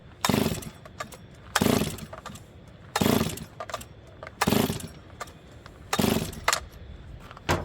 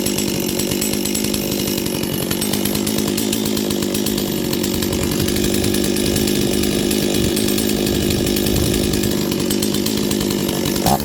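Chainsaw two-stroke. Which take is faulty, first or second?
first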